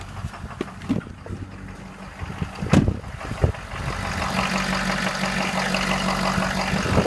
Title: 2015 6.7 Engine Knock